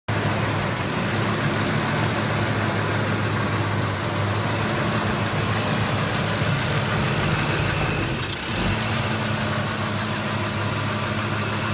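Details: 2005 Ford F150 5.4 Triton idles steadily low with a noticeable sag and stumble around eight seconds before recovering; rough idle that dies, cause not identified.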